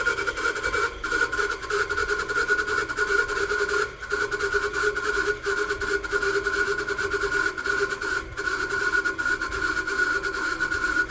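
Steady mid and high-pitched whine over a hissy run, with short dropouts; could be a worn bearing but nothing confirms it. Cause suspected, not confirmed.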